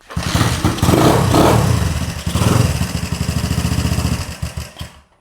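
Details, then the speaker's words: 1980 Honda CB125S single, being restored, just after retiming the points, kick-started: fires and stumbles with uneven, lumpy beats around 220 a minute, then dies; rough running, owner unsure if it is missing. "Ooh, that sounds rough. Well, they don't sound too great. Let's see, I don't know. It's not wanting to run, so I'm not sure if it's missing or what's happening here."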